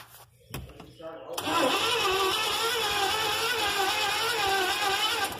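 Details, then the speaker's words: 1983 Chevy van, fuel poured into carburetor, second start attempt: starter grinds at a steady even rhythm and engine never catches, no fire; electronic spark module bypassed, distributor to be checked next. "alright guys second team to start it all white well we can get no fire"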